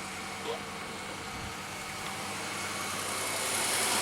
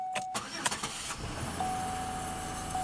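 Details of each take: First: 2003 Pontiac Grand Am idling after reassembly: steady hiss-like engine bay noise; seller suggested the water pump, and it seems to come from that area; a heat shield or exhaust rattle was also considered; cause unconfirmed. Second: 2003 Pontiac Grand Am GT, day after first start, around 40°F, after lifters were cleaned: brief crank, quick catch, quiet even idle with no lifter tick. A rattle is suspected from exhaust or a pulley. Normal start.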